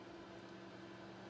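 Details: New Dell XPS 8930 desktop: steady loud whooshing fan roar with faint hum, CPU fan ramping up constantly even near idle; excessive fan noise, cause suspected, not confirmed.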